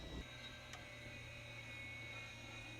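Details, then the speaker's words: Piper Turbo Twin Comanche after sitting 14+ years, master power on: thin steady high-pitched whine and squeal over a low electrical hum as instrument gyros spin up after long disuse; gyros may need replacing. "The heck is that? It sounds like a sawmill. it's just spinning up. It's just been a little tired. It's a little cranky."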